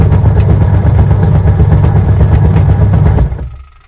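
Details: Washing machine running with heavy low thumping about four beats a second while the drum turns, dying away at switch-off; worn or loose drive belt.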